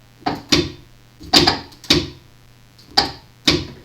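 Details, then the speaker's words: Electric PTO clutch on a riding mower or zero-turn, bench-tested by jumping 12 V positive and ground with two wires. Sharp metallic clicks as it snaps in show the clutch engages normally, so the fault lies upstream in the power or ground circuit. "That tells me that there's not a problem with the clutch. The clutch is engaging the way it's supposed to."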